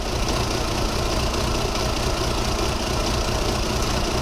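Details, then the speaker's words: VW Polo 1.4 16-valve, booked in for control unit swap over a misfire, oscilloscope measuring injectors near cylinder four: uneven stumbling low thump at idle instead of smooth beat; misfire with rough idle. "it's jigging around a bit because we've got obviously a um slight rough running concern"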